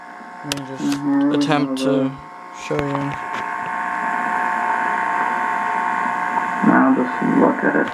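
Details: Sony SL-2000 VCR with an audio hum and muffled-sound fault, audio board capacitors replaced, output plugged directly into the TV: a steady droning hum under the program sound, constant regardless of level. Audio hum.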